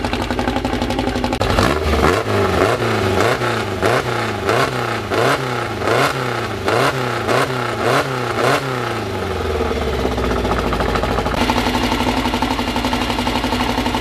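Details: First start of a newly built 2054 air-cooled engine with carburetors, after engine assembly: quick repeated revs, then a steady, clean, even fast idle already near 1,200 rpm, held high for now so parts can seat before possibly lowering it; normal fast idle.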